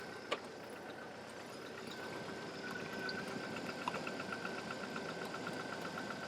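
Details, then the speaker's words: 2000 Jeep Wrangler 2.5L four-cylinder after cylinder head replacement. Even, steady idle with a faint belt hum and no knock or misfire; runs healthy. "let it run like I said it's probably been running about 20 minutes it's reached full temperature and it sounds great now"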